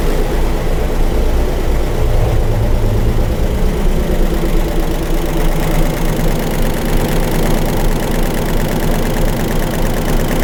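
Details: 1967 Ford 427 idling in the dyno room with the valve covers on and good oil pressure, after the forward lifters showed no pressure. A heavy idle carries a loose, uneven tick; one bank is much noisier, suspected lifters not yet pumped up.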